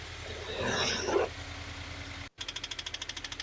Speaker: you hear it there it's the clocking sound that's the Piston uh Rod then you've also got the rod knock